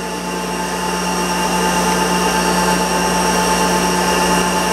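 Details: Monarch 10EE lathe, warm-up drive check, spindle ramped slowly up to 2000 rpm with feed rod spinning: smooth steady whine, constant pitch, no knocks, rattles or grinding; normal running.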